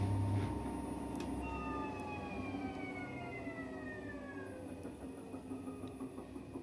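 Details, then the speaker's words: AEG 7000 Series Lavamat washer, brushless motor: several whining tones slide steadily downward as the drum coasts to a stop, the magnets braking the drum so it stops faster; totally normal brushless motor sound, no fault. "sound is totally normal that's when the magnets goes in it breaks them over so it stops faster"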